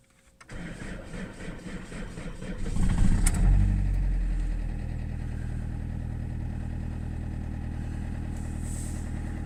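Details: Saab 9-3 1.9 TiD diesel cold start at 7°C with a bad starter (since replaced): slow, laboured cranking about four pulses a second for two seconds before it catches and idles; failing starter motor.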